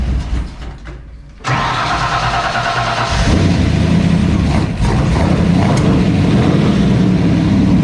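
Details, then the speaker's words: 1970s Datsun 280Z with a Ferrari GTO kit body and a Ford 5.0L V8 on a base tune: it cranks, fires and catches, then holds a deep, steady, lumpy rumble at fast idle with light blips, "like an old race car." Normal first start; laptop tuning still planned. "oh yes it sounds like an old race car you know sounds like an old race car or something"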